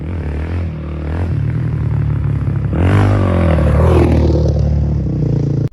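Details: 2005 Honda CRF450X, sat 10 years, after hot start blocked off and jets upped to 190 main, 45 pilot: single thumps steadily and picks up cleanly when opened up, no stumble or hesitation; normal running.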